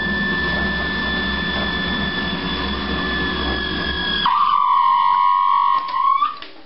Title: Opvaskemaskine med larm